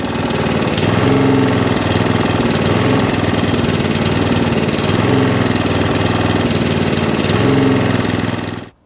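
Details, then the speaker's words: Second-hand Allett Kensington mower, Kawasaki FJ100 engine, before repair: revs swell and sag every couple of seconds with a slight miss, and the carburettor arm is visibly moving. Hunting and surging from a fuel delivery problem, likely a dirty carburettor. "So as you can hear, the revs are dropping up and down. There's a slight miss to the machine."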